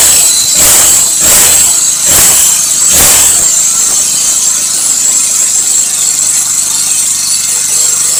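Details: Lawn mower / grass trimmer small engine after replacing broken spark plug and starter cord and setting valves with feeler gauge (intake 0.08, exhaust 0.10), previously hard starting and not revving: few pulls, then steady high buzz, no knocking; normal running.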